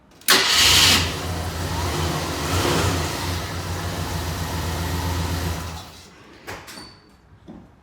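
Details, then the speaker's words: 1985 Jeep Grand Wagoneer after a new starter was installed: quick crank, engine catches at once and settles into a steady, smooth idle before shutting off; started three times in a row after previous starting issues. "so all right three times in a row it was definitely having issues before that so i i think we're golden"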